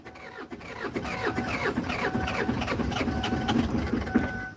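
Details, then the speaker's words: Kia Sedona diesel, part of a project car, cranking on a sunny day: rhythmic chuffs about two per second nearly catching but never running; compression suddenly feels soft, owner suspects air in the fuel line, possibly a glow plug issue. "And that sounds like I've suddenly lost compression. I shouldn't have. But yeah, that's gone soft. So that means I've got air in the fuel line."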